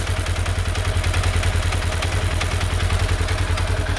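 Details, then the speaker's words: 2016 Polaris Ranger 900 XP after engine rebuild, first run: rough rattly clatter with steady low thump at idle from the primary clutch, not the engine; owner thinks it needs cleaning. "the primary what's making that noise not the engine I might need to clean that up"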